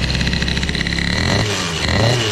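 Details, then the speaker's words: CPI 70 GTR two-stroke with BOOST bottom end and Airsal kit, on a ride with the 88 main jet: revving with a soft, burbling, uneven note instead of a crisp crackle. Very rich; an 84 jet was ordered. "Alors je sais pas si vous l'entendez, mais moi je l'entends, hein, c'est très très gras, très gras, c'est..."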